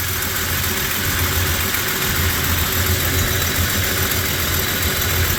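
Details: 1996 Jeep Cherokee XJ: steady but lumpy, wandering idle after suddenly starting to run terribly; timing mark jumps around, and a slipping timing chain is suspected.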